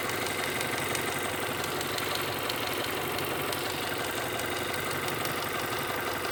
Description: 1996 Honda prelude si 2.3l dohv h23a1 top end ticking sound